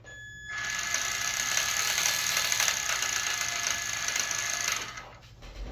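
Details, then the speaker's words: RC car after replacing worn parts and bearings: high whirring drivetrain with fast rattling click about four per second; unsure whether rear end or gears; gear clicking noise. "Don't know what the clicking noise is. Maybe the rear end. Maybe my gears. I don't know."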